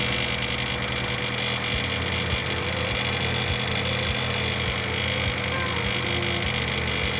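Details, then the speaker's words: Honda Civic EK after alternator replacement, engine running: harsh high-pitched hiss with scratchy uneven rubbing clicks, as if something rubs inside the new alternator; owner may return it; loud rubbing noise near alternator. "sounds like something's rubbing on the inside of it so I might actually have to return that one and do this all again"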